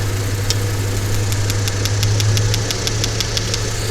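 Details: Misfire diagnosis (P0300) with the PCM commanding injectors in an audible test, one cylinder at a time; crisp, even ticking about four per second over a steady idle hum, injectors clicking and firing normally.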